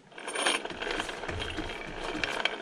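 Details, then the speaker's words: VW Golf 4 gearbox, one wheel turned slowly by hand: a dry, ratcheting scrape with uneven clicks from inside while the other wheel doesn't turn; internal damage, possibly the differential or a loose rivet, suspected. "Da, dieses Schleifen. Halt mal die Kamera hin, dann kann man das auch hören."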